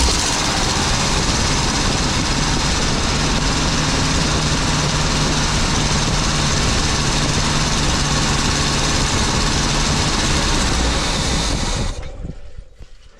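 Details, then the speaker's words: 23-ft Birchaven motorhome V8 with Quadrajet carburetor, first start after 12 years on gas poured into the float bowl: fires and runs a rough steady idle about twelve seconds, then fades and dies; owner suspects no fuel reaching the carburetor from the pump. "Well, it sounded pretty good. Probably don't have any gas to the carburetor."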